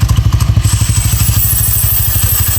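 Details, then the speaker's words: Honda Click 160 scooter with direct dry clutch, fitted with PZ Tech CVT cover after clutch housing overheated, rear wheel freewheeling then braked: loud low clatter pulsing with wheel spin, settling into steady rattle; normal, nothing broken. "Yun lang. Grabe ang ingay. Taragis na yan. Sana kala mo may sira yung motor, no?"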